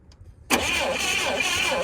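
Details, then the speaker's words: Old Clark forklift bought at auction, after swapping a spark plug: starter churns the engine over evenly but it never fires; no spark found from the coil, which is poorly grounded; cranks but no start. "Alright, I'm not seeing anything. So, first step of our diagnosis here is we're going to see if we have spark coming out of the coil, because it's not really nicely grounded, as you can see."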